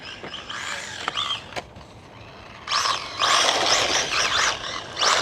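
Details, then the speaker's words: FMS FSC18 1/18 Ford Bronco brushless RC truck on 3S after a couple of jumps: whining motor rising and falling with throttle, broken by harsh grinding and skipping bursts; plastic pinion and spur gears stripped. "And I'll play the clip now and you can hear. Is that a gear? Yep. Yep. We got some gear noise."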